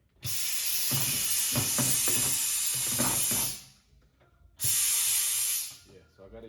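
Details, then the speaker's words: Aston ATC-5733 tire changer: inflating with the foot air pedal after lubricating, without the built-in bead blaster; two loud steady hisses cut off abruptly as air leaks past the unseated tire bead, so the bead blaster is needed. "Now I'm gonna get the air. Let's see how it goes. Sounds like it's leaking."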